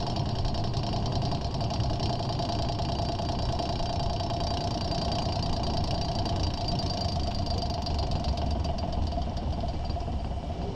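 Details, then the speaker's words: 2001 Ford Ranger at walking speed: light, fast clicking rattle over low drivetrain hum from under the truck, from the worn front driveshaft CV joint; also driver-side vibration at 50-60 mph, ongoing over a month; CV joint later rebuilt. "I've had this annoying loud clicking rattling sound coming from the bottom of the truck my speeds are about walking speeds and you will tend to hear it very loud"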